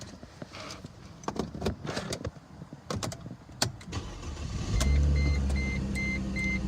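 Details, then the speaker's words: 2006 Mercedes C230 W203 with the M272 V6, started after replacing a faulty ignition coil module and clearing codes: the engine catches and settles into a smooth, even idle, with the seatbelt chime beeping; runs healthy, fault fixed. "There you go. Purred like a kitten. Guess that was it."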